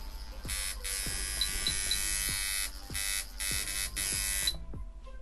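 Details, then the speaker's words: Traditional coil liner tattoo machine, voltage raised from low until it hits, now at about 5: fast, even buzzing with a crisp steady hit and no stutter, a correctly tuned liner. "so it's running at about a five right now and you could hear that it is hitting exactly how it should"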